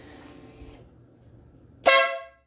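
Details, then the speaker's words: Motorcycle air/train horn fully installed with relay kit, bike switched on: after a quiet stretch, one sharp, loud, steady blast that dies away cleanly; works every time. "Works every time. So we're good."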